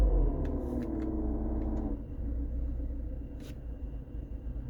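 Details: BMW E46 318i idling with the AC on after a freon recharge and a passed vacuum test: a droning, buzzy hum over the engine rumble that drops away about halfway; strange noise with AC on.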